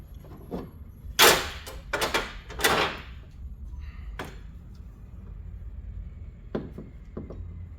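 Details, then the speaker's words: 1997 Toyota Corolla 1.6L CE, hood prop rod missing its rubber grommet: irregular sharp metallic clacks as the rod rattles in its holder even when locked in; fix is replacing the grommet. "so as you can hear even when this is locked in it can still rattle so that can get rather annoying of course"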